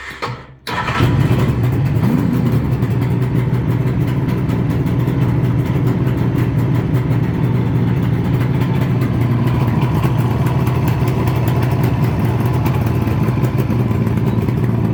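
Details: 1976 Suzuki GT750A at 85,000 miles, after a six-week rebuild (crank rebuilt, new bearings and con rods, rebore, new gearbox with new bearings): catches first try and settles into a smooth, even two-stroke burble with no knocks. Normal running.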